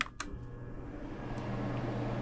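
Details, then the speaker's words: McQuay two-pipe hotel fan coil unit with electric heat, after teardown and cleaning, with a broken blade: the blower on medium speed gives a low steady hum, slightly louder than low, with no rubbing or rattle. "It's a little louder, but it's quiet."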